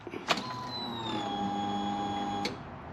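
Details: Polaris RZR 900 fuel-injected, fuel pressure test: steady electric hum for about two seconds settling to an even pitch, then clean cutoff; pump primes normally to about 44 psi, slowly dropping toward 40, suggesting a leak.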